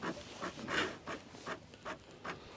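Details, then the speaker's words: 1977 Najad 34 sailboat autopilot set to hold 11°: short whirring motor bursts about every 0.4 s at the wheel drive unit, running but not moving the steering wheel; autopilot not working. "Something is not working. You can hear it. It's It's trying to run, but it's not moving the steering wheel."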